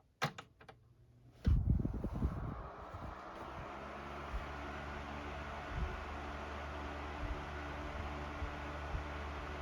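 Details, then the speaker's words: Sears Deluxe 3-speed 12-inch oscillating table fan 564.80171 started on high: switch clicks, then the motor spins up to a steady even low hum without rattle or scrape; runs perfectly, air velocity mid-1100s. "high fan runs perfectly do velocity check so we're in the mid 1100s range high speed for the velocity"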